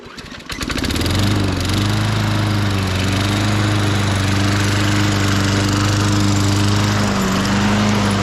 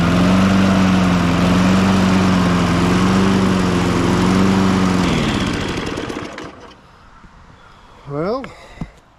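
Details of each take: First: 1998 Ariens 21-inch self-propelled mower, engine VLV60, after repairs and drive belt spring replacement: pull-start catches within a second, steady even single-cylinder drone without misses or knocks; normal running. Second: 1998 Ariens 21" self-propelled mower, engine VLV60, warm and surging: runs steadily at about four firings a second then abruptly dies and coasts to silence as the newly fitted replacement ignition coil loses spark.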